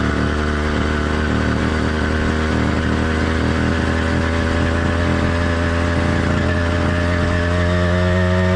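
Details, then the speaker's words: Warmed-up but not heat-soaked two-stroke motorized bike kit engine (single-speed, single-circuit carburetor): busy steady buzz, even under load with slight uneven burble at times; normal running with light four-stroking. "let's listen to how the motor sounds after it's been warmed up but note this motor is not heat soaked that comes after you've been riding for 15 to 30 minutes straight and the Dynamics of the motor will change slightly which we'll cover later"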